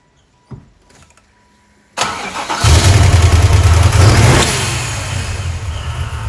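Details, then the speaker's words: Customer car with intermittent no-start from an intermittent fuel pump relay/wiring circuit, wires wiggled so pump works: short crank catches at once into a deep, steady, even rumble; it starts, intermittent still to fix. "got all right so it does start but we have to fix that intermittent"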